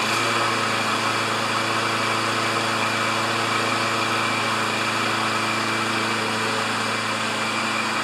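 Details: Self-propelled Lawn-Boy mower with Kohler engine, after carburetor cleaning, oil change, clean plug, new air filter and working choke: smooth even steady drone at constant speed with no miss or hunting; runs normally after repair.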